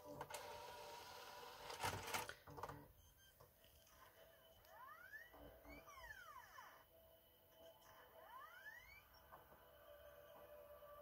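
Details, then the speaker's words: PS4 Pro (NVG-002 board) after repairing a ripped-off 4-pin 5V connector: quiet whir rising and falling as the disc spins up, soft seek clicks, no grinding, no longer sounding like a cement mixer; normal Blu-ray drive operation. "spinning it he's reading it and it sounds like a PlayStation fantastic it doesn't sound like a cement mixer anymore which is really good"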